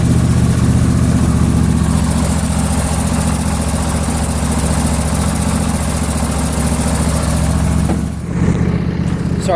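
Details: John Deere LA150 lawn tractor, nearly 300 hours, warming up after refuelling: steady, even low putter at idle with no misses, surges or knocks, settling as it warms; carburetor good, normal idle.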